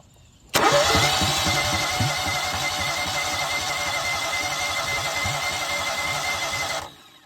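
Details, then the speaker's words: Rebuilt Kohler EFI twin in a Toro Z-Master, cranked with the PTO on: steady, even cranking pulses for about six seconds with no catch. Fuel is primed to 40 PSI, the injector mists, both plugs spark; owner suspects a sheared flywheel key affecting timing. "Priming the line is prime the line up to 40 PSI. Nothing. Why won't it start?"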